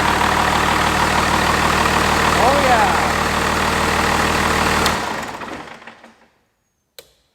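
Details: 5.9 Cummins from a 1993 Dodge Ram, swapped into a 1967 Ford F-250, running after engine bay wiring and fuel solenoid hookup. It gives an even, steady clatter of about four beats a second with no knocks or misses, then shuts down cleanly.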